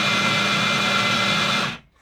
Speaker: That noise is the note acceptor. And as you can see, or can you, it says self-test here.